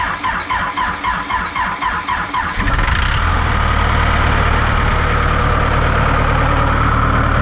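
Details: Large diesel on a 44,000 lb, 120 ft machine, fuel primed, throttle linkage disconnected and worked by hand: steady starter chug at about four compressions a second, then catches into a continuous even roar.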